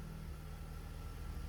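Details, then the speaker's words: BMW 330 E46 with M54B30 inline-six, after fixing a loose vacuum valve and reconnecting the lambda sensors: low smooth even idle with no stumbles or hunting; fuel trims now within ±5%. "Lambdas are connected now.. with my "not so fancy" connection. It runs very nice at the moment."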